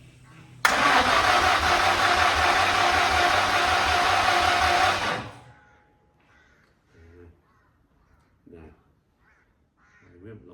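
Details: Old car being started after 20 years, with fuel pressure now built up: steady, even cranking at about three and a half beats per second for four seconds, never catching, then silence; it cranks but won't fire.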